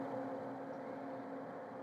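A steady, even mid-pitched hum with a faint higher overtone and no knocks or surges; the electrolysis unit is running normally.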